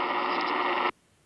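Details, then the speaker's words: Harsh, dense buzzing static on the 10 m band, February 17 at 11 a.m., from noisy power poles near a ham's home, then an abrupt cut to near silence: power line interference. "there's a reason Al's out hunting noisy power poles let's listen to it well it's February 17th 11 a.m. 10 m lovely amount of noise to put up with"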